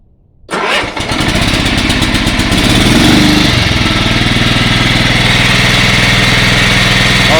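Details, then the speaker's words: Yard-Man 15 hp riding mower with 42-inch deck, revived after sitting outdoors, cold start with choke on and a little throttle: cranks briefly, fires and settles into a steady, even single-cylinder idle. Normal start and idle after repairs. "that is awesome listen that thing idle that is sweet music to my ears"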